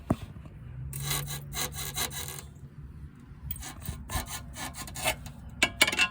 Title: 2014-2019 Toyota Corolla front suspension noise fixed.